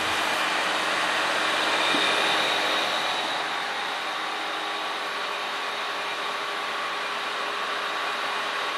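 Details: Original 400 V8 from a 1967 Oldsmobile 442, freshly rebuilt (new rod and main bearings, rings), running on an engine stand, warming until the radiator fan was needed; even fast whir with steady pulse, no knocks or rattles; 180 compression every cylinder.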